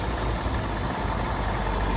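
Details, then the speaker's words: Cadillac Seville with a fluid leak spraying from a cap under the hood: the engine gives a steady, even low rumble with no knocks, misses or ticks; the idle sounds normal despite the leak. "sounds good to be honest doesn't sound bad"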